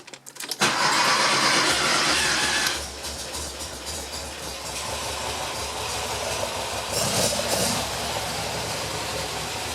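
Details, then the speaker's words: Porsche 914 rebuilt stock 2.0L engine, already warmed up, after setting timing (27° full advance at 3500 rpm), synching carbs and adjusting idle: cranks briefly, catches at once, settles to a steady, fairly low, slightly bouncing idle; no misses, healthy. "okay so first yeah the idle will come up on this a little bit try and get it in there where you can actually see that but it's idling pretty low right now"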